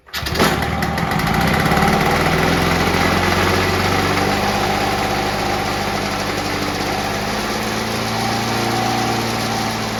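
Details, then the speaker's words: Victa Mustang 2-stroke mower rebuilt from junk with a Powertorque engine, fresh two-stroke fuel, three primes; starts first pull, crisp even buzz with no misses or hunting; ignition kill wire not yet connected; healthy engine. "how good is that folks first pull I couldn't shut that down because you probably noticed that I didn't actually set the ignition wires into the carburetor"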